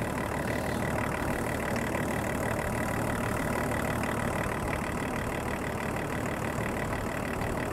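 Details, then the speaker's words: 24-year-old Range Rover P38 2.5 litre diesel, abandoned five years, jump-started cold after glow plugs, during coolant refill and bleed: steady, even diesel clatter at idle with no knocks, misses or hunting; healthy as it warms up. "these old two and a half diesels love their glow plugs and here we go can't complain at that"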